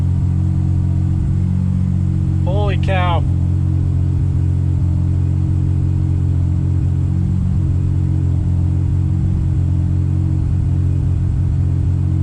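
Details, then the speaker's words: Subaru Impreza with EG33 flat-six after a wiring error was corrected: steady, even low idle with no miss or stumble, same AFR on both banks; problem fixed. "oh that sounds so much better exact same AFR the exact same oh my gosh I fixed my car"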